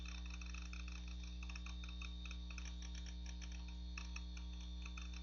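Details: Macintosh PowerBook 520c, 240 MB 2.5-inch SCSI hard drive (possibly IBM), Mac OS 7.5.5, booting: irregular light ticks about three per second over a steady low hum while loading; hard drive ticking, likely failing soon.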